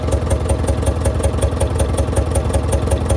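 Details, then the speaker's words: Heavy diesel truck, long locked up, first run, water temp 180–190, full pressure: lumpy, clattery idle about two and a half beats a second, some injectors still not firing, roughness easing as another opens up. "We just had another injector open up too, so it's starting, the blow by is going away and the mist is going away in it. It's actually starting to sound really good now."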